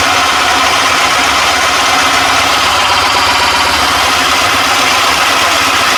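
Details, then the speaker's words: One-horsepower Nova Viking drill press boring a 60 mm Forstner-bit hole in oak: steady bright cutting hiss, no bogging, chatter or grinding; runs strong, clean hole, normal drilling under load. "as you can see That's really nice and clean hole. And that's 60 mil on a piece of oak. So really nice and strong drill press."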